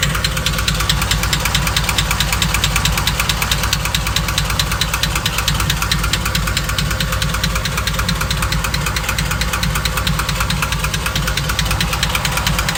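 Steady idle with a sharp, regular knock of about two per second over the V8; the cause is not yet pinned down.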